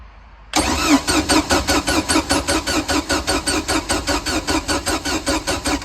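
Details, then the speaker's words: Free boat with a non-running engine (freeze plugs pushed out), after new battery and swapped ignition coil: starter cranks evenly about five beats a second for five seconds, never catches; no spark. Later fixed by carburetor adjustment and cleaning and gapping the points. "Still no spark."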